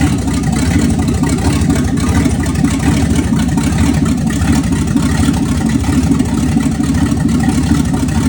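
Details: 1965 Ford Thunderbird FE 390 V8, after troubleshooting ignition and fuel issues, first proper run: steady, even low deep rumble, no knocks or misses; sounds healthy.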